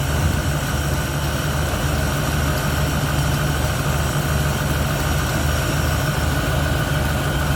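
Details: 1971 Ford Torino, rebuilt 302 V8 with C4, warm, after idle mixture screws adjusted evenly on carburetor (was a little lean): smooth, even low rumble at steady idle, no stumble, miss or surge; running clean.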